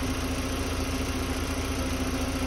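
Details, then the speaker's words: 2005 VW Beetle (P0455 gross EVAP leak) idling after new fuel filter, fuel pressure on spec: smooth, even idle with steady low hum and faint constant tone, no misses. "all right so after much struggling we got our new fuel filter installed good to go prime it up check fuel pressure should be good to go so much better"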